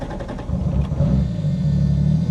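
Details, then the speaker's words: Mk3 Supra inline-six on a new trigger kit, not yet tuned, after a fuel pump fuse swap: low rumble surges unevenly and stumbles as throttle opens, lacking power and bogging; ECU table changes planned, cause not confirmed. "we're back idling and uh yeah it looks like it doesn't have enough energy"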